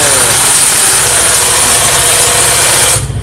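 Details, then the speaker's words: Idling carbureted Yamaha Mio scooter with a dense, hissy metallic rub from the CVT: the kickstart pinion no longer returns fully and drags inside while the engine runs. "pancalan buat ngengkol nya itu opo yo yo sudah enggak bisa balik sempurna Makanya kalau mesin hidup ini menyentuh di dalam sana nyentuh"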